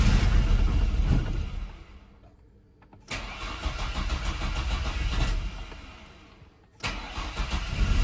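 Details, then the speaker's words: Chevrolet S10 unrun for 5 years, after a fuel tank swap, with fuel present at the line: two long bursts of steady starter churning with quiet between, never firing. Owners suspect a fuel injector plugged by bad ethanol fuel, unconfirmed. "all right so we think our issue is in here with our fuel injector we think it must be plugged up or something with the bad ethanol fuel"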